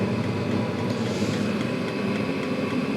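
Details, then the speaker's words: Chinese 5-7kW 12V diesel air and water heater just after start-up, glow plug off, fan 3,400 RPM, pump 3.6, about 10 V: steady fan roar with soft burner rush, no pops or surging; lit, warm air, running normally. "I think the glow plug's gone off and it's now running. Well, it's putting out warm air. The fuel pump's running."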